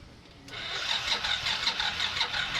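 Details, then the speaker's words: Yamaha NMax 155 V1 scooter with battery reading 11.8 V, dropping to about 6.1 V while cranking: the starter whirs with an uneven, labouring crank, pitch sagging and pulsing for two seconds, the sign of a weak battery. "Alright. So, ayan yung mga indication na na mahina na yung battery natin."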